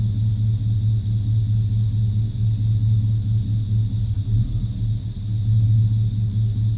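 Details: 1995 Chevrolet C1500 350 TBI V8 idle: deep rumble with occasional uneven dips and stumbles; misfire persists after replacing plugs, wires, cap, rotor, EGR valve and coolant temperature sensor; cause not found.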